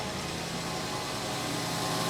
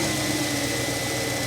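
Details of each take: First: 1999 Mercedes S420 (W140) V8 just after new throttle body installation idles steady and even, no ticking or knocking heard; power steering pump needs fluid and its hose is failing. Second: 1999 Mercedes S420 (W140) V8 idling just after a new throttle body install: thin, constant high whine over the idle from the power steering pump, which needs fluid; a power steering hose is also near failing.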